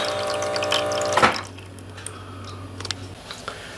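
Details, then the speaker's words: LG fridge freezer ice maker after tray-tip button is pressed repeatedly to dump water until flow starts: short burst of motor noise, then water trickling and dripping steadily into the tray; ice maker fill working normally. "You press that and the thing will work. That will tip out the hot water that you just put in, and the tray will go back, and you just do it again and again as often as necessary until the water starts to flow."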